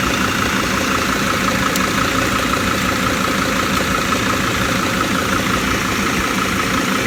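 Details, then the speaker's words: Mercedes Sprinter diesel with P299 turbo underboost code, other turbo actuator plugged in, phone under the van: steady idle with faint constant high whistle over clatter; mismatched actuator suspected, not confirmed. "now I'm gonna plug in that other one I bet it's gonna be this whistling sound and it's really"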